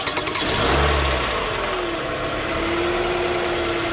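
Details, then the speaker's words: Toyota Camry with no-crank complaint, starter jumped directly by poking its ignition start wire: a few quick cranking pulses, then the engine catches into a steady run; starter is good, fault lies elsewhere, possibly neutral safety switch. "right so your starter is good you have another problem it's not a starter problem you're having okay"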